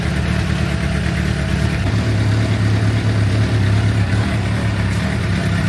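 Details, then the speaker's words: 2006 Suzuki GSX-R750 warming at idle, oil at 48 °C, after oil change with the wrong filter: steady even idle with smooth low thrum, no ticking or knocking; engine running healthy. "But yeah, as you can hear, the engine is running pretty good. No ticking noises, no ticking time bombs."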